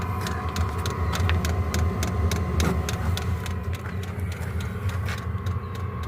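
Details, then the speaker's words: Diesel heater running normally with no muffler fitted, fuel pump faintly audible at the tank; steady low combustion roar with even pulsing exhaust and faint regular pump ticking, loud but healthy. "My fuel tank. As you can hear it running. You'll get no muffler in it right now. You can hardly hear a fuel pump inside."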